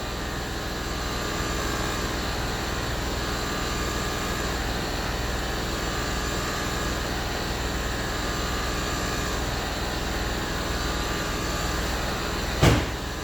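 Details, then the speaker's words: Land Rover Discovery 3 replacement air suspension compressor, the old one bent by damage, tested on the floor: steady even droning hum, no surging or knocking, slow but filling the roughly 25-litre tank as the front rises; normal operation. "oh you can hear the pump going it's slow but it is going up"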